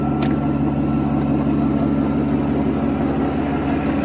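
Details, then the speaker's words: 1992 Mercedes 600SEL V12 barn find, cold start with vacuum leaks and mismatched mass airflow sensors, loud water pump due for replacement: smooth even idle, soft steady hum, no misfire or knock; normal V12 idle. "As you can see, the engine is pouring like a kitten. Purs like a kitten. Very nice."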